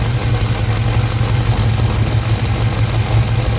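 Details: Box Chevy with old 350 small-block V8, Edelbrock carburetor and new mechanical fuel pump: uneven, loping rough idle with irregular stumbles under heavy rumble; had been sputtering and backfiring, fuel starvation suspected (low gas flow, possibly ran out of gas).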